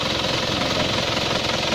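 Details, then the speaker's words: Used diesel car at idle: a steady, even diesel clatter with no stumble or missing beat and no smoke when revved; the engine is judged healthy and well maintained. "menandakan bahwa memang kondisi mesin diesel ini dalam kondisi Bah baik Ayo kita dengar ya jadi dia tidak ada suara yang pincang"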